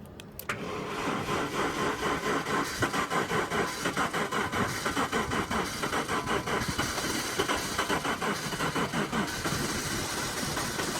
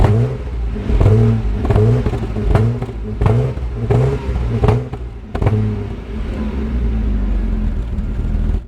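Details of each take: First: 1997 Jaguar XJ6 X300 3.2 manual that spluttered to a halt while driving: starter cranks steadily for ten seconds and the engine never fires. A faulty crankshaft position sensor is suspected. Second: 1997 Jaguar XJ6 X300 XJ Sport 3.2 5-speed manual, after replacing the crankshaft position sensor: pulls away and revs in even swells that rise and fall cleanly with the throttle, no misfire or stumble; normal running.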